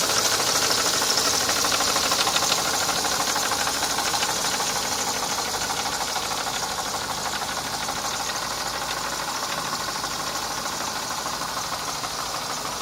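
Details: Mercedes M102 engine from a 1990 W124 E230 at idle: rapid, fairly even ticking knock about three per second over a raspy idle, from inside the engine, source not pinned down.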